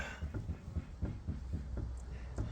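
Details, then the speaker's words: 2010 Fiat 500 during pre-MOT check: quiet, regular clunks about four a second as the front wheel is rocked by hand, play from a worn lower ball joint; replacement arm needed. "You can hear the knock, and that's obviously Bottom ball joint."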